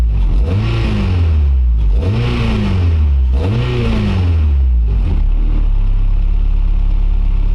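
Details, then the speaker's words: Acura RSX with stock injectors refitted while the tune was made for RDX injectors, exhaust silencer fitted: three quick blips, then a rumbling idle with the fuelling off as the computer adds extra fuel to compensate. "so you can kind of even hear that the computer was trying to like compensate by adding more fuel into the smaller injectors to try to keep it to where the car was tuned with the RDX ones"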